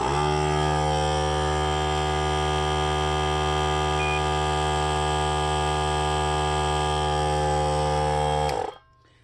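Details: Camper van 30 amp shore power setup: with shore power back on, the system acts as the battery charger. A steady, even electrical hum holds one pitch for about eight seconds, then cuts off cleanly; normal operation.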